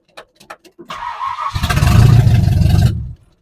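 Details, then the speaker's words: 1970 Ford Falcon 5.0 small-block, after carb rebuild, choke disconnected, primed by hand: short cranking, catches and runs rough about 1.5 seconds then dies; carb bowls found dry, fuel starvation from rebuild error. "just wants to die so I messed something up on that card rebuild"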